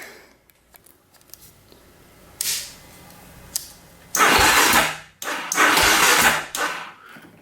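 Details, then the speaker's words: Polaris Predator 500 quad, recently bought used: a few short, sluggish cranking bursts that turn slowly and never catch; the battery is dead, owner hopes that's the only problem. "Battery's just dead. I hope that's the only problem we got going on."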